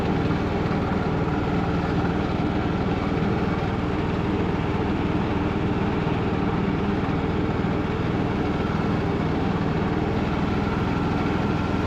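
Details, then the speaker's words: Craftsman LT2000 riding mower, revived after sitting a couple of years, reversing up a hill in the rain: the engine drone holds even under load with no whine, grind, surging or felt slipping, so the drive is normal. "Sweet. I don't hear anything crazy going on with the drive system, and it seems like it's going pretty good speed there."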